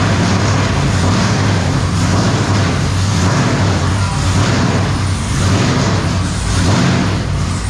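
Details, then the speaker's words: V8: deep, even rumble with steady exhaust pulses and no stumbles; normal running on all eight cylinders. "well I think we're hitting on all eight now"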